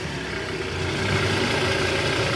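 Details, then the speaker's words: 2009 Toyota Alphard ANH20, 95,000 km, just started after replacing a worn balancer shaft, with a weak battery: smooth, even idle with a steady low hum, no knocks or rattles. The engine now runs smooth. "Oke suara mesinnya halus ya guys"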